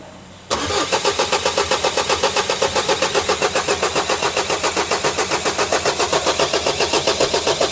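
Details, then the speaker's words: Vauxhall Vivaro diesel cranking with easy-start and primed fuel: starter churns evenly about four pulses a second with no firing; first chased as low fuel pressure, actually the immobiliser not reading the key. "The fuel pressure was because we didn't have the key written to the vehicle."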